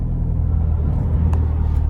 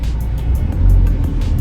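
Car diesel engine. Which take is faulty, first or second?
first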